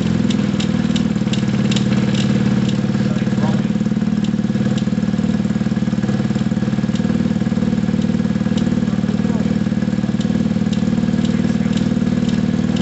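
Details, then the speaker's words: Gilera DNA 125 at first fire-up: a low, slightly uneven single-cylinder putter of about four beats a second. It idles on very low revs and dislikes revving; a loose rear brake pad rattles. Rough idle. "so guys it's idling you know it's it's idling it's running on very low revs it doesn't like any revs at all"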